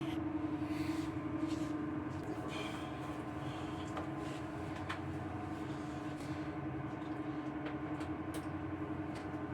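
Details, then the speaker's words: Dantherm HCV500 double-flow ventilation unit (sold by Geco) running at speed 2 is already very noisy. A steady, loud mid-pitched hum and drone with a few clicks comes from a worn fan bearing that needs replacing. "Donc voici une VMC double flux dentaire vendue par Geco qui à vitesse 2 déjà fait beaucoup de bruit."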